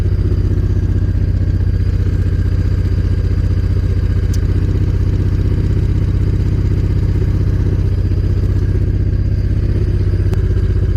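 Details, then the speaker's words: Honda VTX 1800 fuel-injected V-twin, cold, right after new spark plugs fitted: even, steady idle sitting noticeably fast with no misses or knocks; normal high cold idle that drops as the engine warms. "The RPM of the engine is quite high now. Hope you can hear it. So the RPM is high, but at some point that the engine gets warm up, the RPM would drop."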